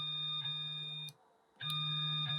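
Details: Elegoo Neptune 2S 3D printer Z-axis stepper after tuning driver voltage to 0.54 V, homing and moving Z up and down: clean, steady high-pitched hum that stops and resumes smoothly, no clicks or skipped steps; works fine.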